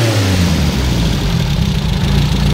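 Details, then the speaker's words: Freshly rebuilt Renault R8 Gordini engine on first start, warming up, not yet finely tuned: strong, steady low idle with even beat and no stumble; normal, very stable idle. "là comme vous l'entendez on a un ralenti qui est plutôt très stable là il tourne plutôt bien rond alors qu'il est encore tout neuf"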